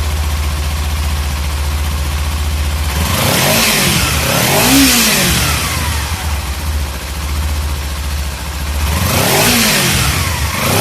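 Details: Kawasaki Z300 twin in neutral, just started after a spark plug change, left unrevved: steady low even idle with no knocks or misses, passing traffic twice; running normally.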